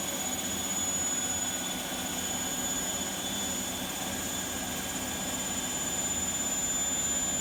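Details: Bosch Vario Perfect WAK28260GB/11 washer, suspected bad bearings (reported noisy, occasional play), empty-drum 1400 full-cycle spin: steady high whine and hiss over low rumble, holding even; not loud, maybe not full 1400 rpm, bearing wear unconfirmed.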